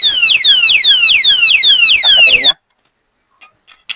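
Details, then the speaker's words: Key-activated anti-theft alarm lock for a parked motorcycle, showing its two stages of first-attempt and second-attempt alarm: piercing high warbling sweeps about two or three times a second, then an abrupt cutoff; the siren works properly. "Bali may dalawang settings yung bago siya mag-alarm. First attempt, ganito yung tunog niya. Ayan. Then second attempt, ayan siya, yung alarm niya."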